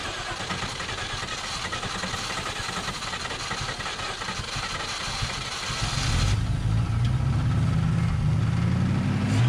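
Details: 1951 Korean War M38 army jeep, not run in years, started with starting fluid after points diagnosis and fuel pump reconnected: several seconds of cranking, then catches and runs with uneven lumpy low beat; starts but runs rough.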